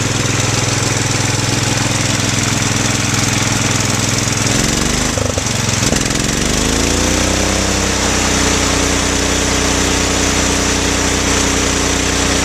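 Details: Bolens 1250 garden tractor, original Wisconsin S12D single-cylinder engine with Eaton hydro and a makeshift muffler. Steady thump with a brief dip and smooth pickup midway, then an even settle with no knock or hunting: normal running.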